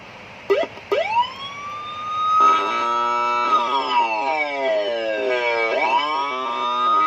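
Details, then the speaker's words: Siren module on 12 V supply into a speaker: wailing up-and-down sweeps come out rough, raspy and shorted-sounding rather than clean on every tone button; distorted siren output from failed amplifier chip. "Nah, ngerosok kayak gitu suaranya. Dan cat juga sama. Ini kita pencet juga sama kayak gitu, kayak suara konslet. Nggak mau jernih suaranya."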